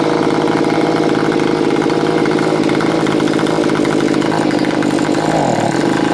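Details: Stihl BG55 leaf blower after carburetor adjustment (about three turns out low, two turns out high): small two-stroke holds a steady, even idle buzz with no hunting or stumbling; runs clean.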